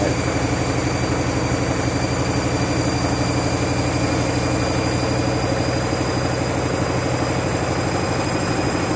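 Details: Washing machine spinning after a reset because it wasn't heating up, never seen before on this washer: loud steady roar with fast thumping about four beats a second; violent hammering spin, cause not identified.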